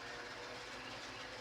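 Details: Electric fan that had hummed without spinning, running after being oiled to free the seized motor: steady even rush of air with a faint constant hum, spinning smoothly and strongly.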